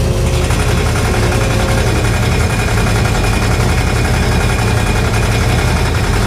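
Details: 1968 Chevrolet Impala fastback idling on the lift after an exhaust hanger fix: rough idle with a fast steady ticking rub keeping pace with the engine; owner suspects the fan, and a shiny rub mark shows the fan blade catching the shroud.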